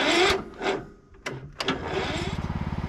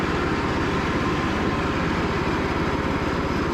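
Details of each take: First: Cub Cadet riding mower cranked after sitting 5–6 days, choke on, a little throttle, battery at 13.03 V. Slow, labored starter chugs barely getting over compression. Owner suspects it needs a valve adjustment; starter and battery terminals also need cleaning. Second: Cub Cadet riding mower, after sitting 3+ years, on a final test run following a charging system repair. Steady single-cylinder thrum at constant speed with no surging, knocking or misfire; healthy running.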